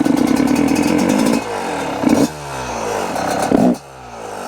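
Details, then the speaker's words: Yamaha YZ125 two-stroke after jetting changes, air screw three turns out: idles crisply, but each throttle blip bogs and stumbles off idle; too lean. "Yeah, I think it might be too lean now. Yep. Hear that bogging when I whack the throttle."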